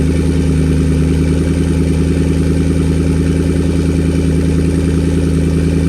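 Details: Car with new turbo and MAP sensor, started to check a leaking water pump gasket: deep, steady idle with even low thrum, no ticking or stumbling; healthy idle, no leaks so far.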